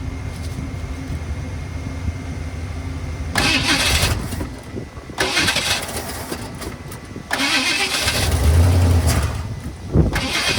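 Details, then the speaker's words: 1978 Ford F-150 plow truck, sat about a year, rebuilt carburetor getting fuel; three slow, uneven bursts of cranking on a struggling battery with no catch; a leaking hose was found and spliced afterward. "that battery is not happy all right we are most definitely getting fuel up at the carb so we're going to try it again"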